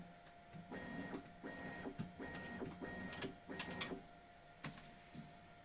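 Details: Bambu Lab X1 Carbon 3D printer, upside down: short bursts of bed travel, each with a faint high squeal over the motor whir. The belt tensioner roller squeak, caused by the belt rubbing the roller edges, is reduced after lubricating with wet soap.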